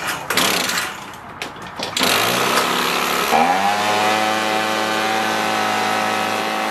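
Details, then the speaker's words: Echo PB265LN leaf blower two-stroke, freed from seizure, fuel leaking: a few rough pulls, then catches into a fast steady high idle; air filter smells gas-soaked and is suspected of blocking airflow, idle screw turned all the way in. "this smells like gas so let's try it if that's soaked it's not allowing"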